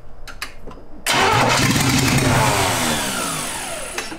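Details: 1971 Jaguar XJ6 with a small-block Chevy V8, sat 5+ years, fitted with a new fuel cell, plugs, wires and oil, carburetted with a mechanical pump and a dirty carb just getting fuel: loud rough churning that fades without settling to idle; cranks but won't fire.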